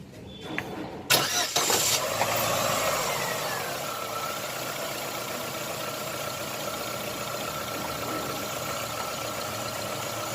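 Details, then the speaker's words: Chevrolet Optra after replacing the faulty ignition coil (and rotted coil leads): cranks, fires quickly and settles to a quiet, even idle with no missing or shaking. "ठीक है, बिल्कुल साइलेंट हो गई। कॉइल की दिक्कत थी, कॉइल में गड़बड़ी थी,"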